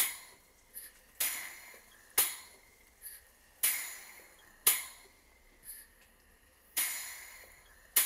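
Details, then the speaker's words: Southworth 12-inch vertical boiler feed steam pump running on steam in a workshop, burner gas off, tested at higher steam pressure: regular sharp hissing puffs about one per second in pairs, no knocks. Normal steam pump operation. "I've turned off the gas so you can hear the engine without the rod of the burner and"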